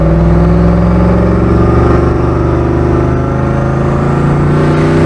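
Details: Skull Garage black truck, fresh engine build after a blown head gasket at 11 lb boost, cold day (~4°), about five pounds of boost: loud, deep V8 pulls smoothly with steady rising tone, no knocks or stumbles; normal acceleration under boost.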